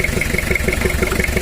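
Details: Toyota Kijang diesel 2L engine before overhaul, burning oil badly, with worn liners: sharp, evenly spaced ticks, about six a second, over a rough idle; valve train tapping blamed on a worn camshaft and valve clearance.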